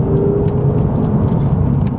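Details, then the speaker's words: Red Ford Focus XR5 turbo five-cylinder, driver's-side engine mount fixed after earlier mounts on the other side didn't cure front-end grinding; accelerating on road with deep, even engine drone and road rumble, no grinding or knocking: normal acceleration. "Well, that's a result, because I can accelerate now and there's no grinding and carrying on."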